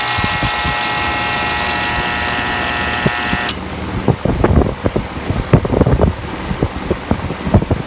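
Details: Three-phase HVAC compressor, 17 years 6 months old, switched on with gauges connected: steady electrical hum, then a rough, uneven clatter of heavy knocks and thumps, like aluminum cans shaking inside; worn-out compressor, replacement to be quoted.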